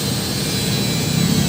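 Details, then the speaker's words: Ryu RSG 100-3 hand grinder after replacing head bearings to cure wobble: steady even high whir with no rattle or wobble as it spins up; runs quiet and the shaft no longer shakes. "ini kita kekkan ke arus sudah oke suaranya tidak Berisik dan si as ini tidak goyang seperti yang sebelumnya"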